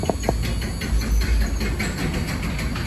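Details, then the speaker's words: Linear 861 garage door opener, newly installed, running the door up in learn-limit mode: quiet motor hum under a light rattle from the noisy non-insulated door's spring; opener runs smoothly, normal. "you can hear how quiet the door is. The spring's noisy, but for how quiet the motor is, the spring in the door is noisy because it's non-insulated."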